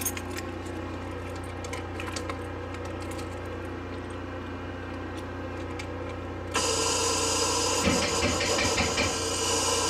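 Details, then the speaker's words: 1989 Crown Super Coach school bus, Detroit Diesel 2-stroke 71 series, batteries charging for a while; slow labored cranking about four beats a second, no firing, batteries still weak though improving. "It's getting better. So, the challenge is definitely working. Um, it it's not as it's not as weak as it was earlier."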